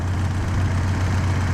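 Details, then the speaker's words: 1931 Model A Ford four-cylinder, freshly swapped in: low, even idle with quick light clacking on top, which is the electric fuel pump ticking; engine itself sounds fine. "For the record, that clacking sound is the electronic fuel pump."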